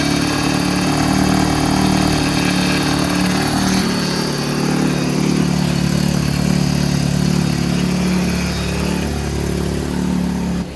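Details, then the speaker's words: Vauxhall Calibra under restoration, after power steering pipe replaced and refilled: engine running with faint steady hum; pump still a bit noisy after sitting dry for several years, owner hopes it calms once pipework warms up. "po steing pump is still a little bit noisy but fingers crossed that will calm down once the pipe work warms up"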